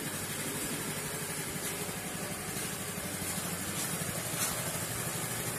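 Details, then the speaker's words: Honda Vario 110 scooter, first start after an engine rebuild for white exhaust smoke, cranked about 20 times to spread oil first: it starts at once into an even, quiet idle with a soft steady putter and no knocks or ticks. "Oke langsung kita hidupkan kunci sudah on kita starter motor langsung hidup normal kawan-kawan"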